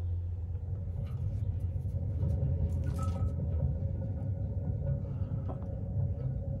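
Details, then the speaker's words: Gleaner R72 combine, unload belt dampener hub on the main separator clutch spun by hand: deep, coarse, steady low-pitched rumble, the same noise heard with the machine running; dry bearing, clutch bearings being replaced. "yeah that's not good that's what I was hearing when the machine was running that's a dry bearing sound"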